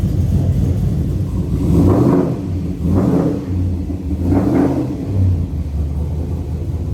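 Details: SSV engine after a CNC cylinder head swap and new 160°F (71°C) thermostat: runs steadily with a few smooth throttle blips rising and falling evenly, no knocks or rattles; healthy running.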